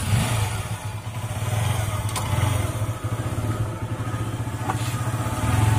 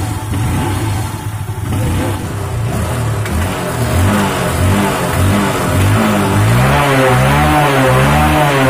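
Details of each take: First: Honda Unicorn motorcycle idling: steady single-cylinder beat with a fast light clatter on each stroke, caused by a faulty timing chain adjuster (tensioner) not working properly; not a costly repair. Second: Honda Unicorn single-cylinder engine after the faulty cam chain adjuster is fully tightened: smooth light revs with no chain slap or tapping; noise expected to return after about a kilometre until the adjuster is replaced.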